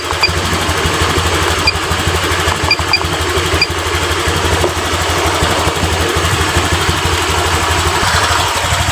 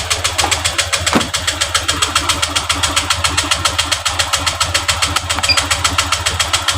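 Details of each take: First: Honda Vario 125 LED scooter after idle and throttle adjustment, idling at about 1400–1500 rpm with injection duration around 2 ms: a steady, even putter with no stumbling, misses or surging. Normal idle, and throttle response is now good. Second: Honda Vario LED 125 scooter with loss of power, hesitation and stalling, scanned at idle: injector duration about 3 ms and idle rpm too low, later set to 1400–1500; slow, slightly lumpy idle pulse about twice a second.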